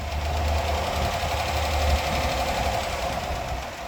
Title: 2014 Chevrolet Silverado 5.3l engine ticking noise P0340 P0341 Camshaft Position Sensor #karcheckz